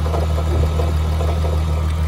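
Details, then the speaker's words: VW Mk3 VR6 12v at idle, with new AC compressor, power steering, alternator, tensioner, water pump and serpentine belt, clutch pressed without change: smooth idle with dull clunk about every half second from inside engine; source unknown. "it's making noise it's inside the engine and it's clunking so but the engine sounds good"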